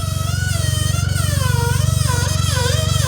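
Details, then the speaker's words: Rob Dyrdek's Chevy Sonic Turbo stunt car, first start after sitting eight years: a steady electric buzz like a toothbrush over a lumpy idle that never follows the revs. The fuel pump is buzzing internally, not from bouncing against anything; cause unknown. "only downside is now the fuel pump's making this super weird sound"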